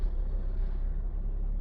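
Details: 2006 Honda City 1.5 VTEC Steermatic, after repair of misfire and unstable rpm (worn spark plugs, clogged fuel filter, catalytic converter cleaned), engine slightly cold, no codes: smooth even low rumble, no stumbles or misses, rpm to drop when warm. Normal idle.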